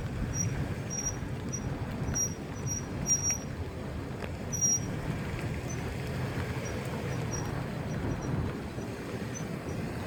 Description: bad break pad and rotor